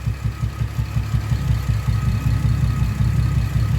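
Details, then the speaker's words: Camaro with loud exhaust at idle: low idle with an uneven, stumbling pulse about two to three a second; scan data confirms cylinder 5 misfiring, ignition coil suspected, coils to be swapped to verify. "So yeah, I'm like, okay, we validated the code is true and cylinder 5 is misfiring."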